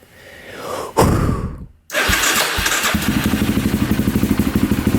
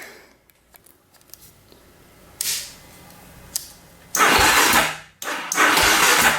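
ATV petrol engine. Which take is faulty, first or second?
second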